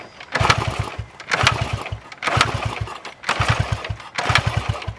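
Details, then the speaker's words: 1974 Honda XR75, 48 years old: five kicks a second apart, short churns with no catch; no-start after checking spark, air filter and carb; owner suspects ignition timing, non-original ignition cover. "still no action so next I'm thinking it may be a timing issue"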